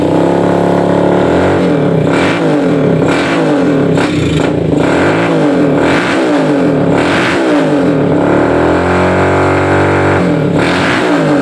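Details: Suzuki Satria FU 150 single-cylinder after porting and new valve seals, previously slow to rev: revs up and back down repeatedly, exhaust note rising cleanly and evenly with no knock or rattle; sounds healthy.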